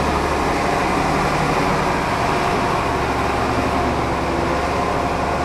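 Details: Mercedes O302 coach of Autocares Cabranes, described as mechanically perfect: a loud, steady diesel rumble with an even, unbroken drone and no knocking or rattles. The engine runs cleanly.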